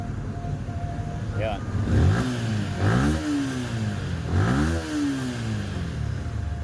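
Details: Yamaha Sniper 155 that was submerged in a flood and would not start, after repair and check-engine reset: a few clean revs rise and drop back quickly to a steady idle with no misses or rattles; it starts first try.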